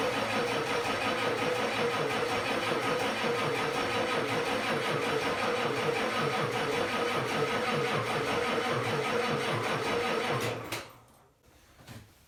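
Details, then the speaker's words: 1989 Ford F250 7.3 IDI diesel, sat 10+ years: slow, labored cranking for about ten seconds with no start and no fuel yet at the filter housing; owner wonders if it's the ignition (unconfirmed). "something just doesn't sound right I don't know if it's this ignition what it is but it should be cranking quicker"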